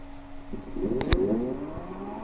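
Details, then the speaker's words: Fabricator Pro CNC stepper motor on Red Board controller with Mach3, microstepping changed, running slowly, mic next to motor: rising whine broken by one sharp thump during acceleration without stalling; thought related to microstepping. "I did hear it I'm going to put my mic next to it and it's the same bump that you're talking about"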